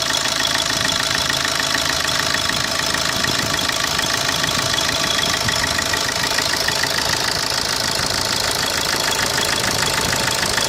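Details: Opel Corsa D 2010 1.3 CDTI diesel at idle: fast, regular clatter at about three per second over the engine; abnormal noise, cause not identified.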